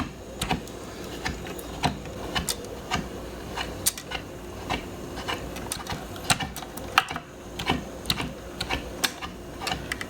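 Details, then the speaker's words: Garrard Zero 100 S turntable run on its side after clearing the gears: light uneven clicks and ticks as the auto-cycle mechanism steps through a revolution, no grinding, runs freely. "I think we have the mechanism going. Sort of got to work it through while it's on its side. We can see some of the functions here."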